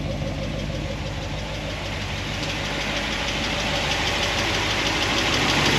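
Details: 1976 Corvette V8 with solid roller lifters on a hydraulic roller cam, warm idle after a heat cycle, lash reset from 10 toward 5 thousandths: light even ticking about three a second, quieter than before, from pushrods rubbing a guide plate.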